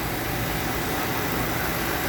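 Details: Toyota Avanza at warm idle during an engine-flush treatment before a 4,000 oil change, coolant about 58 and engine 57 degrees, mic held near the engine: steady, even hum with smooth low rumble, no knocks or misses; normal warm idle.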